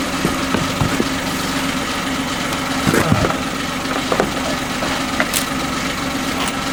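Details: Kia engine idling after an oil change: irregular sharp knocks over a rough idle about every second, not fading as it runs; knock seems worse, cause unknown.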